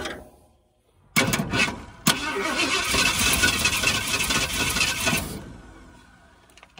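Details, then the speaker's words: 1978 Ford Bronco 400 V8, sitting 20+ years, first start attempts: cranking catches in ragged bursts and sputters for a few seconds before dying, never idling; backfires, and owner suspects ignition timing is still slightly off. "I think the timing may still be off just a hair. So, I'm going to back that off just a little bit. Backfires through the coil."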